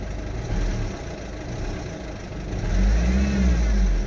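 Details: 2008 Citroen Berlingo 1.6 HDi idling with a deep, uneven rumble that swells and fades; started August 2021 despite a full service, timing belt, water pump, new turbo, EGR valve and fuel sensor, with no fault codes shown.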